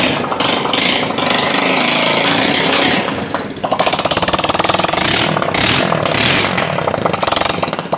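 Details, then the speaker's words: Honda Pridor single, first start after head/cylinder overhaul, new piston rings and new spark plug for engine noise and oil loss; silencer not yet fitted, loud crackly open pipe with throttle blips, no piston slap or knocking. "जी तो दोस्तों आपने देखा अल्हम्दुलिल्लाह bike हमने मुकम्मल तौर पर असम्बल करने के बाद स्टार्ट भी किया।"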